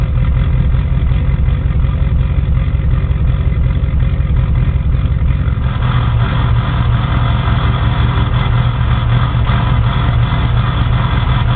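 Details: Ford 6.0 Power Stroke diesel cold start after sitting about 10 hours at 75°F: heavy, uneven clatter and lumpy firing beats; rough cold idle, owner suspects bad injectors or glow plugs.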